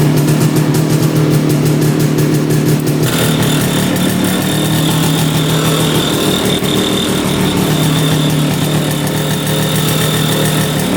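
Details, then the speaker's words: 1965 Tatran 125cc two-stroke scooter, 20 original miles, sat 40+ years, first start: steady fast idle, even beat with no misfire or knock; idle a little high, needing screw adjustment. "all right it's idling now just have to adjust the the screw the wire was getting caned"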